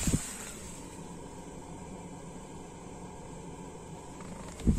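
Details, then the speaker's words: Toyota Prius hybrid battery cooling fan at high speed, heard from inside the cabin after a fan speed controller install: steady even airy whoosh with no pulsing or scraping, a noise that bothers passengers; fan running cleanly. "как раз вот этот вот шум для инженеров японских не знаю точнее что не подумали что этот шум будет донимать пассажиров"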